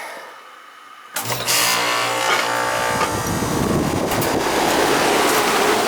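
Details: R22 Ruud home AC unit that was not cooling, restarted after service: after a quiet pause it kicks on with a thump, then settles into a smooth, steady compressor and fan whir; running normally.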